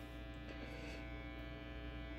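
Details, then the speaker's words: Free-built particle-board Strat through reverb, vibrato, Rangemaster clone and Big Muff pedals into a 70s Music Master bass amp: steady low 60-cycle mains hum under the idle rig, unchanged throughout. "you can already hear the 60 cycle hum we're just gonna have to live with that"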